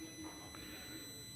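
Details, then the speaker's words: Kia Picanto after repairing the throttle position sensor ground, key-on with engine off: faint, steady high-pitched whine as the electronic throttle motor powers up normally; throttle then responds and the DTC clears. "Harusnya nanti kalau sudah normal dia akan berdening atau bunyi berdenging ya ketika dikunci kontak on."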